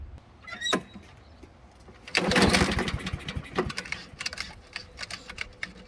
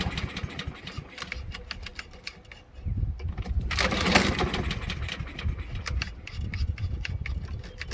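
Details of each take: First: Old Honda self-propelled mower just after carburettor cleaning and refit, fuel turned back on: a few pull-cord bursts with brief coughs that die away, no start yet because fuel has not yet refilled the empty carburettor. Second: Small-engine lawn mower right after carburetor cleaning, fuel turned back on with empty carb: several rattling pulls on the starter, then the engine catches and settles into a steady, even run; running fine.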